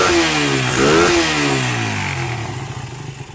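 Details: Suzuki Satria motorcycle, running with battery then battery disconnected, aftermarket regulator/rectifier fitted: single engine blips up and settles back, clean firing, no stumble; revs freely. Revving fault without battery traced to the spool.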